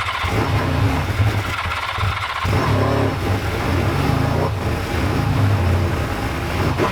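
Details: Old Suzuki GS500 twin, started only by covering the carb intake by hand: it catches and revs in uneven surges, then sags and stumbles instead of settling. Poor idle.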